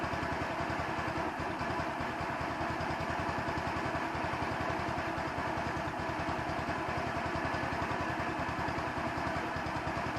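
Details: 150cc Chinese scooter, idle screw adjusted many times, mixture screw under welch plug, camera moved closer to the bike; light fast putter about three to four beats a second with slightly irregular spacing; uneven idle, owner suspects mixture, not confirmed.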